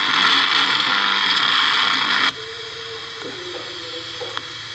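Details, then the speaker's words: Philips RL118 radio on an external 3 V supply with the transformer disconnected: loud hissing static cuts to crackles and pops at certain tuning positions. Caused by a shorted gang tuning capacitor; the volume control is also faulty. "ഒരു ചെറിയൊരു പ്രശ്നമുണ്ട് വേറൊന്നുമല്ല gang capacitor അതുകൊണ്ട് ഇത് complaint ആണ് അതുകൊണ്ടാണ് ആ ഉറച്ചിൽ sound വരുന്നത് കണ്ടോ അപ്പൊ ഉള്ളിൽ ഇത് ഷോട്ട് ഉണ്ടായിരിക്കും"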